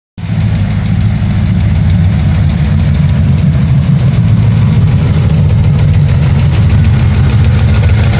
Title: Chasing a ticking noise 2